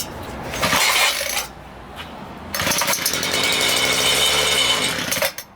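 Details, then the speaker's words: Homelite 26cc two-stroke mini tiller, stored outdoors for years, gummed carburetor: running only on cleaner left in the carburetor with fuel line disconnected, it buzzes briefly, fires for about three seconds, then cuts out abruptly from fuel starvation. "and there he goes he just fired and he died because he ran out of the fuel"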